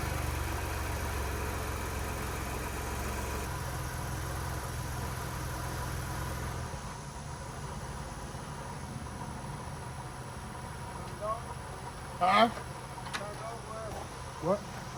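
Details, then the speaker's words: Wrecked 2022 Ford Bronco being rebuilt, started after fuse box connection problems were fixed: even low rumble for several seconds, then shuts down; it starts and runs normally. "pops was able to get that thing started for a quick turnover just know we had to do a lot of work right here in the fuse box man it was not connecting"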